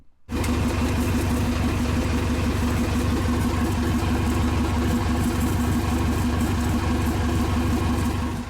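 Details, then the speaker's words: Sailboat diesel test run after new exhaust pipes fitted: steady idle with rapid uneven puffing tick on the low rumble; exhaust leak, traced to a corroded seam and pinholes, plated and welded. "Lee got all the new pipes in and started the engine for a test run, but we could hear a leak."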